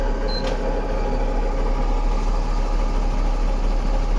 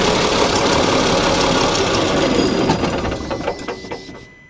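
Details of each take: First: Mahindra Blazo BS6 M-Dura tipper diesel after fixing the P0344 camshaft code and long-crank hard start, code cleared: starts immediately, then a steady, even low idle rumble with no misses or knocks. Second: Mahindra Blazo BS6 M-Dura tipper diesel with DTC P0344, RPM stuck below 2000 after a sudden loud engine noise while driving: steady fast cranking, about three or four turns a second, without catching; long crank, still unresolved before cam gear timing check.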